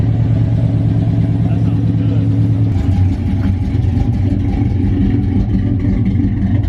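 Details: Big-cam GM 5.3 V8 in a truck, first start after swap: lumpy uneven pulsing with hollow choppy exhaust note as it revs; the four DOD cylinders are not firing because the DOD valley connector was unplugged.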